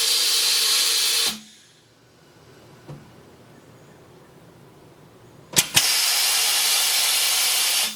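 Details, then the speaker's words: Coats 5030A tire changer after rebuild, air just connected: steady tiny high hiss that stops and returns; compressed air leaking at the hose fittings, later fixed by removing fittings and re-tapping holes. "I just plugged in the air and this thing didn't even turn on it filled up and that's what I hear there's a tiny little hiss so we'll have to see where that's coming from"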